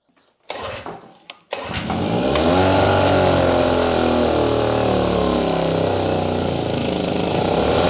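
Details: Grandfather's old Evinrude six-horse Fisherman two-stroke outboard, pulled from a farm barn and primed with choke on: after a couple of pulls it catches and settles into a steady, even two-stroke buzz that holds speed cleanly; normal running.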